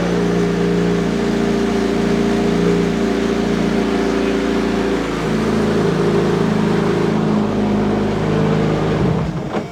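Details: Freshly assembled Honda K20 engine in a 244 GTK time attack Ferrari, first run: a steady, even idle with a smooth, settled tone and no knocks or misses, then it shuts off cleanly.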